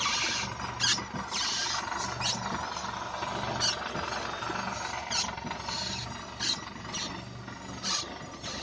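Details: Lada Xray suspension squeak: irregular high-pitched creaks and squeaks roughly once a second over low road rumble, pointing to a squeaking suspension part.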